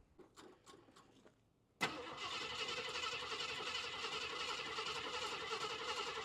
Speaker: So let's start it up first so you can hear it run and try and drive it up there. It doesn't run very well currently.